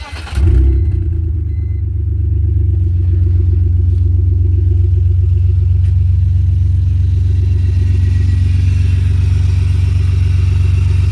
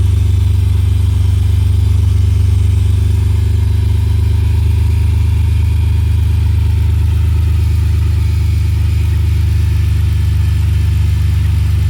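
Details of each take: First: BMW E46 325xi after alternator replacement: starts promptly and settles into a smooth, steady idle with a deep even hum and no knock; charging voltage holds about 14.0–14.1 V, so the new alternator works. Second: BMW E46 325xi that was knocking: steady idle with a faint, loose knock about three or four per second from the front accessories, not the engine or power steering; worn alternator pulley.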